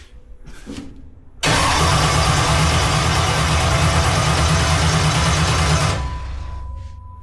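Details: Carbureted jet boat with mechanical fuel pump, in neutral via jet-away, after 1,700-mile trip and rainstorm: steady fast cranking about four seconds, never fires; owner suspected ignition, cause turned out to be bad gas.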